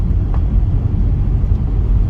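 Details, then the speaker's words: Honda Accord CU3 driven over bumpy road after new lower suspension strut bushes and front tires: low road rumble, only dull pothole thumps, no creak, squeak or ball joint squeal; front suspension quiet. "I'm I'm driving over a lot of bumps here and I don't hear any sounds whatsoever"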